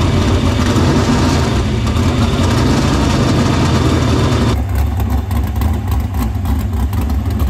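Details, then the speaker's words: Dirt Silver Crown race car running in the shop after getting fuel through the main lines to the pump and barrel valve; loud, deep, steady idle, even firing, no misses; fuel system checked out good. "got the car fired got everything pretty much good fuel system checked out"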